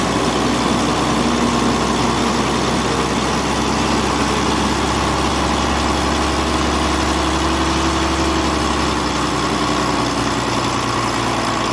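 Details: Volvo truck diesel (D13) idling, valve clearance and injector adjustment done for an engine ticking noise; even, steady deep rumble with no ticking, valvetrain quiet and settled.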